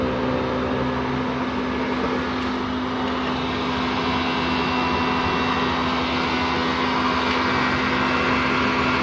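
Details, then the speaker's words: PS3 CECH-3001A at power-on, green light stable: steady loud fan whir with low hum, growing louder as the fan speeds up; no display, then shuts down (three-beep shutdown fault). "Fan is speeding up. And there is no display on the screen."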